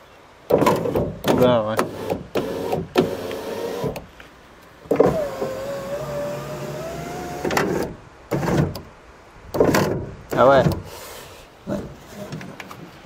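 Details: Ford Ka (first generation) power window moving down: motor strains with wavering pitch as glass catches and drags, sometimes failing to go back up; a part out of place or misaligned in the door is suspected, cause unconfirmed.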